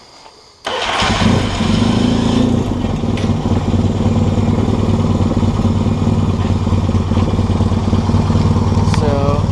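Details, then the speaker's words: Yamaha XS650 after installing a Hughs Handbuilt PMA charging and CDI ignition kit: catches at once after a short crank and settles into a steady, even idle with no misfires or rattles; healthy running. "Alright, so everything's hooked up here, kind of a mess, but everything's wired up for the charging and ignition system, and it runs great, so we'll fire it up and show you what you get."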